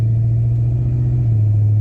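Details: 1972 Pontiac LeMans with a replacement 400 and an automatic, cold, the day after drag racing when third gear went missing: steady low drone through the 2-3 upshift, no flare or slip; shifting normally today.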